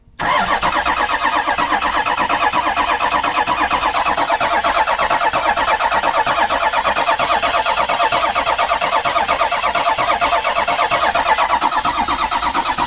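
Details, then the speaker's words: Cold diesel Ford Super Duty cranks long and steadily without catching. The glow plugs seem not to be working and something clicks while they cycle. A part was found sitting unbolted, missing a bolt, and is the suspected cause; a new harness and glow plug box are planned. "He's missing one of the bolts. So that's probably why it's hard starting."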